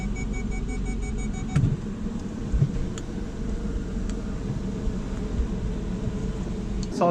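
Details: Jaguar after new clutch, flywheel and release bearing install (subframe removed/refitted), engine flushed, new oil and clutch fluid: low, even engine hum with a few light clicks, no grinding or chatter; new clutch running normally after repair.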